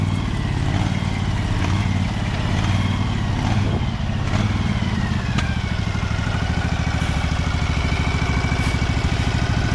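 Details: Husqvarna 2346XLS hydrostatic lawn tractor, after its rusted, binding brake and gas pedals were freed and lubricated: even single-cylinder drone holding steady speed with the PTO driving the blades, no knocks, grinding or slipping; normal running.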